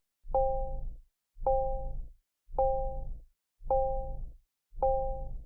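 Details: Nissan information chime from a piezoelectric buzzer, built on about 2000 Hz with an added 797 Hz tone and suppressed harmonics. Five soft two-tone dings about once a second, clean and steady with silence between: normal information chime.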